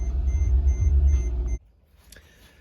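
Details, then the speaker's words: Mercedes GL 550 X164 seat air compressor for multicontour seat adjustment, located left rear, new complete unit fitted after original electronics board failed; with ignition on, small pump hums about 1.5 seconds then cuts off cleanly, normal compressor operation. "So, go ahead and turn on the ignition. There you go. And did you hear that little pump?"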